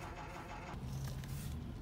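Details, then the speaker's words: 2007 Toyota Sienna, engine off, ignition on: faint steady low hum as the passenger power folding mirror motor keeps trying to fold or unfold and won't stop until the key is turned off; mirror motor running continuously. "I stopped motor on the on this one it's a passenger mirror and it's that motor trying to fold or unfold and it just keeps going and going and going"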